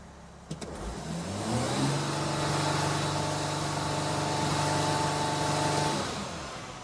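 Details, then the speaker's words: Mercedes Sprinter diesel van that loses power and can't exceed 40 mph uphill, parked and revved with codes cleared. A steady turbo hiss sounds under the hood, yet boost peaks at only about 1.08 PSI. "I'm going to rev it so I can hear the turbo hissing under the hood so that's good Matt can you hear it so turbo is hissing"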